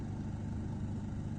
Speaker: debería sonar así. Oye, cómo está sonando. Y si le doy más, oiga, no debería sonar así.